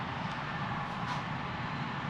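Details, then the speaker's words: Home furnace switched to heat with the thermostat set to 82°F in a 79°F room: a steady, even whoosh from the inducer fan motor with no rattle or scrape. Normal inducer fan run. "It's switching the heat now. And you can hear the fan turn on for the heat, the Landusa fan motor."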